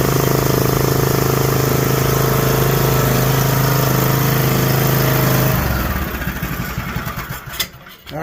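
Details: John Deere D120 mower with 21 hp Briggs engine, after no-start repair, on choke: steady, even idle for several seconds with no misses or stumbles before shutting off; sounds healthy.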